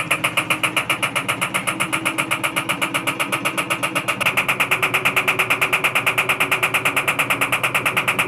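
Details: IFB Executive Plus MSC front-load washing machine, 10 kg, 1400 rpm, with a noise problem: fast even rattling tick several times a second over a bright mechanical hum.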